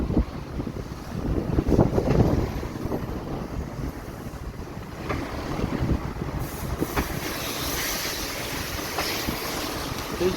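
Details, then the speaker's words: Fiat Doblo 1.3, likely Euro 5, 80,000 km, driving in second gear: heavy single clunks each time throttle is pressed or released, over road noise, also on take-off; worn gearbox mount lets drivetrain shift and hit the body. "bir şekilde vuruyor ikinci viteste gaza basıp basıp bırakıyorum acayip bir şekilde vuruyor arkadaşlar"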